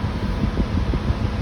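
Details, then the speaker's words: 2015 Lincoln Navigator, previously code P0480 (00-28) with low-speed radiator fans not working, after repair, engine started with AC on: steady fan whoosh with low rumble, running low then switching to high; fans working properly. "Start it up. AC's on. Fans are on low. There they go. They went to high. Just like they're supposed to."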